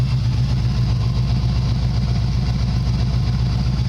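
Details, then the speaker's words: 1985 Chevy Caprice Classic wagon with swapped 350 V8, warm idle: steady, even burble with no leaks, hesitation, rattles, pings or knocks; healthy (misfire only when very cold, choke not hooked up). "I finally got this damn thing running right. She's got no leaks, no hesitation, no rattles, pings, knocks, nothing."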